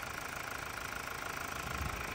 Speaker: she purrs like a kitten she sounds quiet